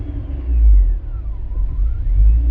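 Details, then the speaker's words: Rover 216GTi with the engine hot: a thin high whistle slides down in pitch and climbs back over a low engine rumble. Source unknown; crossed wires or a poor earth suspected. "interesting though listen to that whistle"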